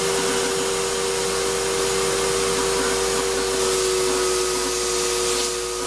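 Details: Shop-Vac vacuuming coarse tumbling grit gives a steady high whine with a rough gritty rush and no speed change; dust that passed through the motor before a dust separator was fitted pretty much destroyed it, and it runs poorly.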